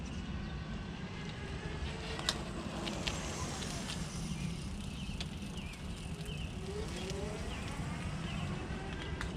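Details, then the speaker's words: Fiido L3 e-bike test ride after replacing stock rear brake with Zoom DB-680 caliper and Tektro E10.11 levers; steady wind and tyre rumble under braking, no squeal or pulsing — quiet brake. "thank you foreign so as you can see that worked there's no pulsating no squeaks and it's got some stopping power more than the stock brakes"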